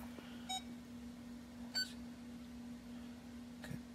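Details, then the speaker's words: Ford park aid self-test repeated after swapping the suspect sensor into another position. A few short beeps over a low hum. Code 1710, right rear inner sensor, followed the swap, confirming a faulty park aid sensor. "go beep-beep-beep and we have a 1710 code now still encode that setting on demand which is the right rear inner sensor out there which is where we swapped it to so we know it's the sensor"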